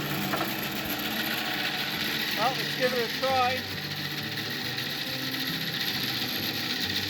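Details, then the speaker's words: Antique wooden bandsaw bought at auction, on its first run after being plugged in. A steady, loud mechanical hum with a busy high rattle at an even pace; noisy but works pretty well. Normal running. "well she's a noisy old beast and I don't know I think it actually works pretty good"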